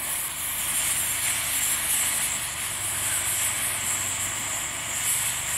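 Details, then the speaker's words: Dual-fuel camping stove burning diesel during preheat in windy conditions: steady bright roaring hiss of diesel vapor from the jet, gusts of wind; normal burner hiss, fuel may need longer warming. "can hear that hissing sound that's the fuel Vapor starting to come through actually it probably needs a little bit longer to warm Fuel Up"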